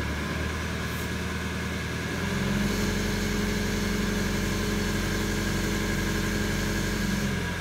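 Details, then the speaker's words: Citroen Relay diesel self-build camper van after new alternator fitted (no belt tensioner), charging at 14.3 V: steady, even diesel idle, smooth low rumble, no knocks, misses or belt squeal; owner says it has never started so well. "well I'm not off glad that one's over but having said that I don't think the vans ever started so well"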